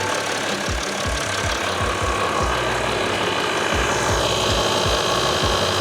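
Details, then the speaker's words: 2012 Mercedes-Benz GL350 BlueTec (X164) at idle after replacing the failed, leaking Airmatic compressor with an aftermarket Arnott unit: compressor clicks on and runs with a steady, even pumping beat; normal air suspension compressor operation. "Okay. Compressor clicked. I can hear it. Let's see what's going on."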